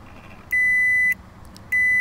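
Two long, steady high-pitched beeps about a second apart with the engine off: the 4WD system warning that it has not engaged.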